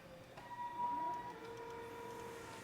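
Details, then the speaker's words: Walk-behind floor scrubber on PM test, filled with water, scrubbing with brushes contacting the floor. Steady, even motor hum with smooth whine and soft brush swish, no knocks or grinding; motors sound good, running normally. "Motors sound good. They're contacting the floor."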